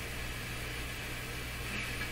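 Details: Nordmende Caruso console radio on FM, fed from signal generator without its engineered antenna connected: steady hiss with low hum, barely any station audible; weak FM performance, cause not yet found, owner suspects antenna may be involved.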